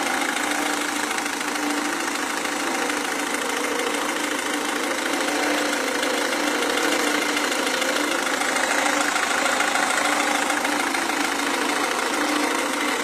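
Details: Renault Scenic 2 with 1.5 dCi diesel engine at idle: steady diesel idle with a hard, fairly regular clatter of about three knocks a second; diesel knock at idle, injection suspected, cause unconfirmed.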